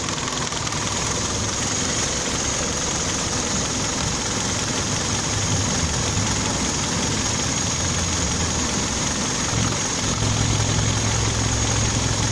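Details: Kia Optima engine at idle: light uneven tapping about three to four times a second over the engine hum; engine knock, cause unknown.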